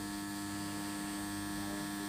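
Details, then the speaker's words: JGY 370 gear motor rated 20 RPM at 6V, run from a supply at 6V, sitting on a table that reflects the sound: steady even hum with a clear tone, no knocks or grinding; it measured 18.6 RPM, then about 20 RPM at 6.5V. Normal gear motor hum. "हम आप देख सकते हैं sound काफी ज्यादा आ रहा है क्योंकि इस टेबल के अंदर साउंड रिफ्लेक्ट हो रहा है"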